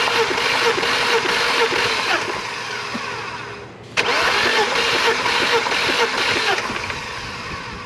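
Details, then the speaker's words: BMW E36 crank-no-start (ongoing about two months), owner confirms spark and fuel present; starter spins engine at steady ~4 pulses/s but it never fires; oil added per cylinder before a compression test; cause not yet found. "so i believe this makes part four of uh trying to get my e36 to start just still kind of facing that crank no start issue i have spark i have fuel and still no start"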